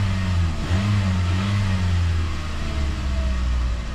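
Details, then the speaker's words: 2012 Toyota Corolla S after replacing ignition coils and spark plugs for a P0301 cylinder 1 misfire code: smooth, even revving with no stumble or misses; engine runs fine. "Make sure she runs okay. [Music] And beautiful. Beautiful. Nice. That was perfectly fine."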